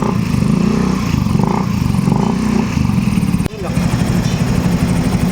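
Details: 125 scooter that stalled at low rpm in traffic and at stoplights, after trimming the crossed spark plug lead end for better plug-cap contact and temporarily rerouting fuel pump power: even idle, one brief dip, then keeps running steadily with no stalling.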